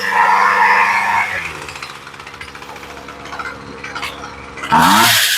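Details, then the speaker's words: Poulan Pro pole saw, two-stroke, curb find, after repair with aftermarket carburetor, run on full choke then off: revs high, drops to an even buzzing idle, snaps cleanly back up; runs strong and responsive. "choke sounds pretty good this thing's ready to go that machine sounds strong it sounds good"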